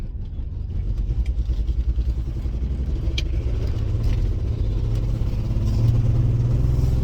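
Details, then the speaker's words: $300 auction car running rough while driving, with an uneven low chuffing pulse about three times a second, the check engine light on and a weak battery; owner suspects a misfire or an exhaust leak. "But it might just be the misfire though. Like I said, the check engine lights on. The battery was low."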